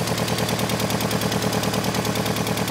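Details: Mk2 Golf with a G60 turbo in a draw-through setup on a Weber 45 carb, 268/260 split-profile cam and a tacked-up, badly leaking exhaust, needing tuning and bogging: rapid string of sharp exhaust pops and cracks, backfiring.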